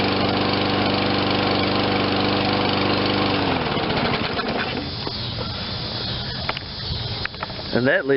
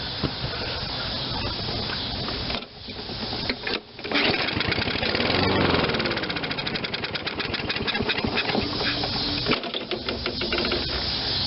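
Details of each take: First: Toro 22-inch Recycler self-propelled mower, 163 cc 7.25 hp, low hours, no-start after sitting; after fresh fuel and carburetor cleaning: steady even drone, no misses or surging, then winds down; normal running. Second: Toro 22-inch Recycler self-propelled mower that sat too long, won't start: catches on a squirt of carb cleaner then sputters, surging and sagging, and dies; spark fine, fuel starvation from water/crud in carburetor bowl suspected.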